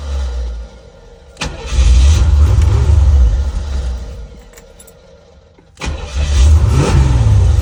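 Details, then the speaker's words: 1985 Chevrolet C4 Corvette, 250k miles, first start after sitting a couple years, new fuel pump, starter fluid, battery at 10 volts: cranks and catches, revs in bursts then sags and hunts, won't hold steady idle; fuel pump works. "all right we got to get it to figure out how to idle but uh fuel pump works"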